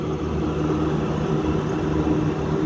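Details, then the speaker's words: 1990s Trane package rooftop unit on 480 V three-phase: a steady low rumble with a rough, gravelly hum from worn condenser fan motor bearings while drawing two amps. "two amps you can hear the bearings on that one too"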